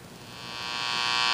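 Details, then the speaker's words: Capehart T-54 radio powered on after replacing one of the failed silver mica capacitors: steady loud buzzy hum, less crackly than before, only a very weak station; owner suspects the remaining mica caps cause the noise. "we have a loud hum same as before actually it's not as crackly now it's just humming just trying to get a signal"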